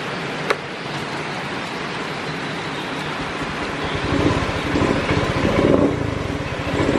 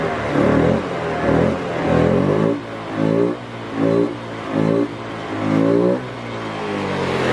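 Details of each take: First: Honda Beat FI scooter: small single idles unevenly, sagging and surging near stalling; runs normally with the engine oil temperature (EOT) sensor unplugged, so the EOT sensor signal is faulty. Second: Honda Beat FI scooter that was sputtering, blipped with the EOT engine oil temperature sensor unplugged (warning light blinking): each rev is smooth and even with no stumble; the faulty EOT sensor caused the sputter.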